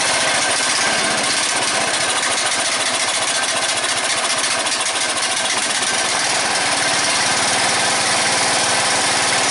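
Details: Red lawn tractor, 14.5 Briggs & Stratton, after fuel line replacement: runs steadily with an even fast patter, no misses or stumbles; healthy, problem fixed.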